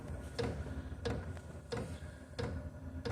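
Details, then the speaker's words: Diesel heater in a shop burning kerosene, after priming and glow plug heat-up: steady, evenly spaced clicks about one and a half per second over a low hum. Normal fuel pump ticking at startup. "That's the fuel pump starting up. People complain that the fuel pump is loud."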